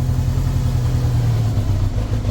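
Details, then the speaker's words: 1983 Honda GL1100 Gold Wing, barn-stored 9–10 years, cold and warming up on partial choke: a low, steady burble at a slightly raised, even idle with no knocks or misses. Cold idle on choke; carb sync possibly needed. "I still got the choke on a little bit while warming it"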